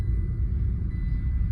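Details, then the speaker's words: Tata Altroz, downshifting from fifth gear while driving after repair of a failed input-shaft fourth-gear needle bearing, blamed on poor oil maintenance: only a low, even drivetrain rumble with no whine, grind or clunk. The gearbox is now correct. "Friends இப்போ இதில் வந்து பார்த்தீங்கன்னா ஒரு கியரை down பண்ணுறேன். Down பண்ணும்போது தான் கியரோட complaint எதனா தான் ஈஸியாக தெரிஞ்சிடும்."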